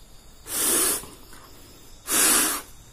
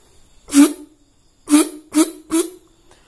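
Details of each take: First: Yamaha RX-King two-stroke reed valve, removed, blown through by mouth softly and hard: two short breathy hisses with no reed buzz or trumpet note; petals not sealing, leaking reed valve. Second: Yamaha RX-King reed valve after bending loose plate back by hand, mouth-blow test with intake sealed: seven short breathy blows, each a clean steady trumpet-like note; reed valve now sealing properly.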